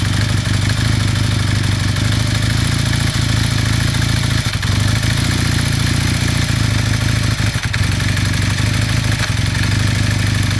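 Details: 1981 Kawasaki KZ440 twin-cylinder motorcycle idling during warm-up with a steady clattering knock riding over the exhaust beat.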